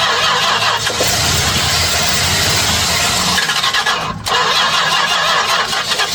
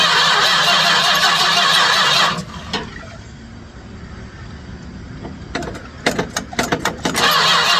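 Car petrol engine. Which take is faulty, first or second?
second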